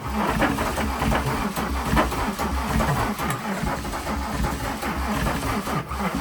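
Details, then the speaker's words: VW Jetta Mk3 VR6 12V swapped engine, cranked with fuel pump held by hand, car moving forward in gear: starter labours slowly, about one heavy beat a second, engine drags; owner thinks motor is locked, not confirmed. "uh I think this motor is locked that's why it's uh slow uh cranking"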